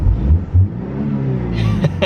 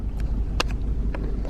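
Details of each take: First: BMW 318i E46 Touring, revving with intake roar: repeated quick blips that rise and fall cleanly, no rattle on the way down; engine now revving smoother. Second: BMW 318i E46 Touring at idle, just restarted after air in the fuel line: low rumble broken by uneven sharp pops at irregular gaps, engine missing at idle; owner suspects a coil that has lost its plastic, not confirmed.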